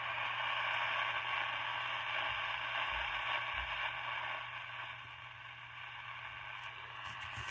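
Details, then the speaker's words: Cheap Satellite 9 De-Luxe Hi-Fi MW/LW transistor radio, drawing about 10 mA (about 30 mA at full volume): steady hiss and crackle with only a faint station buried underneath, so reception is very weak. "sounds like there's some audio there's a radio station there"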